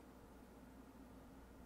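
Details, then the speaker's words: TEAC A2300 reel-to-reel tape deck powered up with tape threaded: steady low hum with a faint constant tone while the transport runs, louder than it should be; noisy motor, owner suspects a worn bearing. "oh well it's pretty noisy oh maybe bearing is gonski I'm not sure if you hear it"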